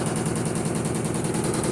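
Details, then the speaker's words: Electrolux Perfect Wash 16 kg washer during the spin cycle: rapid, hard rattling knocks, several per second, as the machine bangs and walks, pushing itself across the floor. It will not stop making noise. "a máquina não para de fazer barulho durante Oi"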